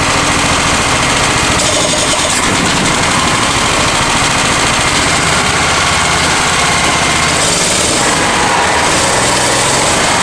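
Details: Honda EX1000 generator after carb cleaning, suspected debris in fuel tank: buzzing at a fast idle with slight surging and wandering speed, still working itself out; idle needs adjusting.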